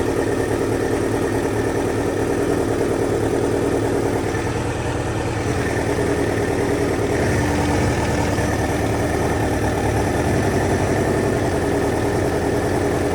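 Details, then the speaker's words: 2000 Kawasaki Ninja ZX-7R 750 after no-crank repair, carbs likely dirty, just started and still warming up, small leak noted: steady, even low idle with a smooth beat, no misses or knocks; normal idle. "So right now Sound like a low idle. Course. You might need to warm up a little bit more."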